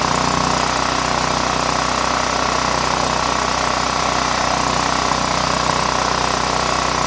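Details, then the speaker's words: Power Mate VX Series generator after carburetor cleaning, idling to burn off roughly eight-year-old gas. A steady, even drone with a constant mid-pitch hum and no stumbles or surging. A smooth, normal idle. "all right i'm gonna let this run for about an hour or so just to burn some of this old gas that's in here from uh eight years ago"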